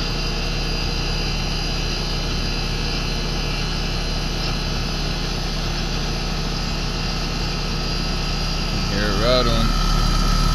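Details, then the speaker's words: American Standard condensing unit that had been tripping its breaker: a steady, unlabored compressor hum with fan drone, amps holding under 11 A. Debris is rattling in the system and a possible leak is suspected. Normal running. "but the amps are holding out good so that's good"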